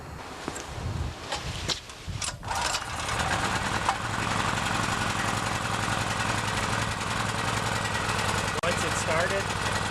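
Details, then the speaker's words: Chinese Honda-clone 6.5 hp generator (4000 W, 3400 W rated) after months in storage, carb primed with spray and choke on: one pull, a few sputters, then catches into a steady, even idle; normal cold start on choke. "off if it surges just put the choke back on once you got it started like that it'll start for you almost immediately"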